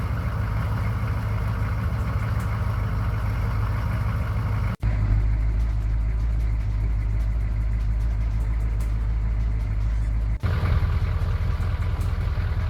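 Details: 6.2 diesel truck started after intake/gasket work (EPR valve not yet addressed): engine catches and settles into a steady, even idle with a deep low rumble and no knocks; runs normally.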